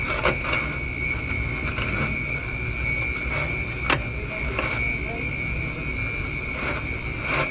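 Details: Beverage-Air beer cooler running warm, low on refrigerant: leak detector gives steady, high, thin hiss over low background rumble (lighting hum), strongest at the top, locating the refrigerant leak.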